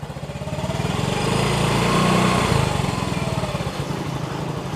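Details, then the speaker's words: Yamaha X-Ride 125 scooter with Diasil cylinder, after repair of a noisy engine, still in break-in with O2 sensor reconnected: steady even putter at smooth idle, regular low beat, no knocking or rattle; noise gone, running healthy. "sepertinya sudah bagus sudah aman jadi seperti itu saja ya untuk langkah-langkahnya pengerjaan masalah penyakit dari suara motor"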